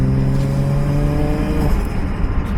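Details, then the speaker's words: Toyota Chaser JZX100 1JZ turbo, after fixing an exhaust leak from bolts that came out of the turbo manifold and fitting a triple-layer T3 gasket. It has a smooth, even six-cylinder note and a clean run-down with no ticking or puffing, so the engine is healthy. "oh man just hearing that 1j again i forgot how it sounds like"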